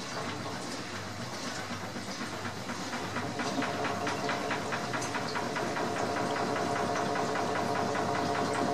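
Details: New AEG L7540FL washing machine, advertised as quiet, heard throughout the house when pumping: steady run with quick, fairly even knocks about three or four a second over a hiss; loud knocking, cause not found.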